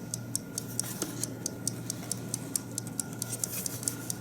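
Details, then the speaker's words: 1950 Buick Roadmaster New Haven dash clock after cleaning and oiling: crisp, even ticking about two beats a second, steady; once wound it started the balance wheel on its own without jostling, running freely. "this is the goal that you can just wind it and then without doing anything i didn't even have to jostle the clock it went ahead and started activating the balance wheel"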